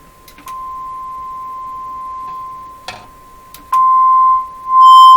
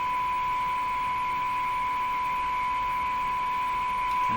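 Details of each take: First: Eatons Universal Electrohome floorstanding tube radio, audio test tone injected from signal generator: clean, undistorted steady tone rising in level; audio stage working fine. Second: Electrohome floorstanding tube radio during signal injection testing: steady test tone with a thinner higher-pitched whine beside it plus audio wobble, whine traced to interference picked up by the antenna.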